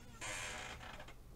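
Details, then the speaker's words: 3018 mini CNC with only one of two holding screws tightened: short harsh rasping buzz with no travel as the stepper motor stalls because the axis binds; loosening it lets the motor move. "hear that that's because that murder can't move now if I loosen that off it can now move so that's that's obviously a big issue here"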